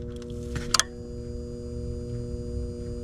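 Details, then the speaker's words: HVAC furnace in a call (27 V): board relay clicks but inducer/draft motor doesn't start, only a faint hum; draft motor was left unplugged after Friday's maintenance. "Huh? No inducer motor. You know why there's no inducer motor running? D. Yep. Maintenance was done on Friday and the draft motor was left unplugged for whatever reason."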